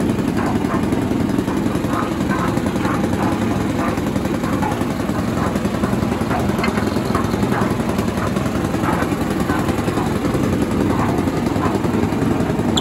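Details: Villiers 10 petrol engine on an old Barford cement mixer, no choke, single-cylinder thumping at a steady even beat with light mechanical clatter, no misses or surging; compression not excellent, fuel seems to run through with tap off; normal running.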